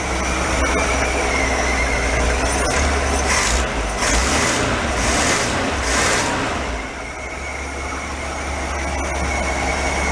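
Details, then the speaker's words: 1965 Ford Econoline pickup after rusted exhaust manifold replaced: steady, even idle with a low, unhurried beat and no ticking or puffing at the manifold; exhaust quiet, normal idle. "that sounds good quiet you think Lee I think the exhaust is good all the way up sir"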